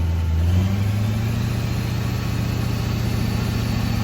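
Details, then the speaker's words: 2001–2004 Duramax LB7 diesel with DIY high idle kit activated via cruise control button, raised from 1200 to 1800 rpm, hood stack fitted: deep, steady drone at raised idle with no hunting or surging; normal high idle. "You can bump it back up, and some people like to hear a LB7 high idle with a hood stack, so it's not quiet, but this sounds pretty cool."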